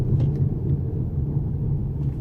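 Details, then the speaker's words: 2011 Toyota RAV4 road test: deep growling, thumping drone rising with speed, louder turning left and quieter turning right; right front wheel bearing hub assembly suspected. "Kind of a growl, but also kind of a thump. So this next straightaway, I'm gonna get another good listen at it. Faster you go, the louder it is. So it's something that's rotating."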